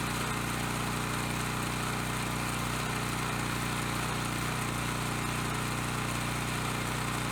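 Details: Coleman Powermate Pulse 1850 generator, surged when last run over a year ago, now after carb cleaning and new fuel lines, fuel filter and clean spark arrestor. Air box off while the pilot jet mixture is being set. Holds a steady, even speed without surging or hunting; running smoothly.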